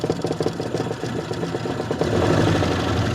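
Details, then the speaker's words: Old two-stroke Mercury-style outboard assembled from spare-parts motors, idling on the water after choke was left on: uneven, burbling low idle with water splashing; pumping water strong, runs healthy. "Sounds like an old two-stroke Mercur. I love it."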